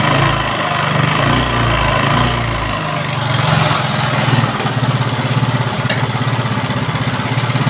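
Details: Yamaha Mio carburetor scooter with a complaint of rough engine sound. Idling with a coarse, uneven rattle over a low pulsing drone, harsher than normal. Cause not pinned down.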